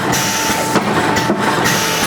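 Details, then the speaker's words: Creative Manufacturing servo pusher pleater running: steady hum with a thud about every half second as the nitrided-block cylinder clamp drops on the material before the pusher bar moves forward on linear guide bearings; forward timer set so the clamp is down first. Normal clamp-before-push cycle. "so I tell you could hear that clamp that clunk before it goes forward that's me clamping down"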